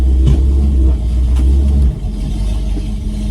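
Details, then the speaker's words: Pontiac Firebird restoration on its first test drive, accelerating and swerving to load the axle: deep, steady, grumbly growl from the rear; diagnosing differential versus axle bearing, finding is a rear wheel bearing growl. "You'll hear a little grumbly noise from the back of the car."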